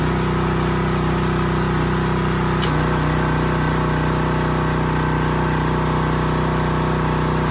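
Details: New Husqvarna pressure washer small petrol engine, restarted after initial run: steady, even drone at one pitch with no misses or surging; running healthy.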